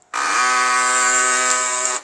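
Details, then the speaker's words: HP LaserJet P1102 makes a harsh, buzzy grinding rasp for about two seconds after power-on, caused by a foreign object fallen inside. Fix: open the top cover, remove the toner, find the object and pry the lever up with a flat screwdriver. "is your HP Laser Jet 1102 printer is creating wise light after turning it on how to fix this problem just you have to open the top cover and then remove the tuner out and you have to find something fallen over here"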